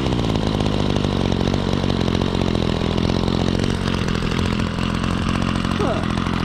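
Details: Two-stroke string trimmer after a cold start on choke buzzes at a steady, even pitch with no stumbling or surging; it started easily and runs fine.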